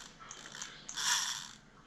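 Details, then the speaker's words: Old Shakespeare fishing reel, about 20 years old, cranked by hand: a dry, gritty rasp with ratchety clicks because its bearings are worn out. "the bearings are shot on this thing. I wore it out."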